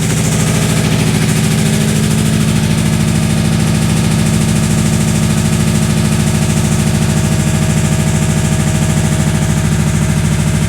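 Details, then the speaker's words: Deep, solid knock about three times a second hammering steadily over the idle; judged definitely not a rod knock, being far more pronounced and solid; serious internal knock, cause still unconfirmed. "definitely not a rod knock that is way more pronounced way more solid than a rod knock"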